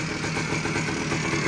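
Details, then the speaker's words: 1979 Suzuki PE250 two-stroke, stored for years, carb cleaned, warmed up, no air filter fitted (upsetting the mixture), 40:1 premix; steady even idle holding on its own without choke, no stumbling; normal idle. "it sounds pretty good uh once I let it warm up it's able to idle on its own uh keeping in mind there's no air filter again so it's going to throw off the uh air fuel mixture a little bit"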